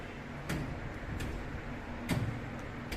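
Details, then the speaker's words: MCC panel testing, single-phase control supply, after resetting the buzzer and trip: four sharp clicks about a second apart as each contactor closes in turn, step by step; normal sequential contactor closing. "Contactor లోపల close అయినప్పుడు చూస్తున్నారు కదా, అన్నీ on అయినాయి అట్లా."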